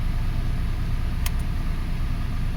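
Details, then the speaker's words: 2005 Toyota Passo after repairing a bad ignition coil ground (brown wire to battery negative) that caused intermittent no-start; steady low idle, even beat, no stumble or miss; engine running cleanly, normal idle. "Well, we fixed that ground, we fixed this engine."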